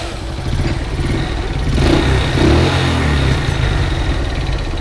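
The small single fires up cleanly on the button and runs with a steady, even putter, rising briefly, with no starter clatter.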